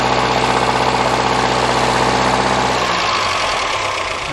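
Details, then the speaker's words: Restored 1961 Triumph TR4 with about 15,000 miles since restoration, ticking over during a radiator flush with water running through; even, smooth low hum with no knocks or misses under the water noise. Normal idle. "this is motor just ticking"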